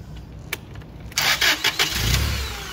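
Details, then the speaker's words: Toyota 8 Series 5,000 lb LPG forklift, previously long-cranking and hard-starting, after an adjuster was turned counterclockwise to richen it: brief half-second crank, then it catches at once and idles steadily, pressure held, no longer waiting for the slow-path solenoid. "It doesn't wait for the slow path solenoid to turn off, and it starts up right away."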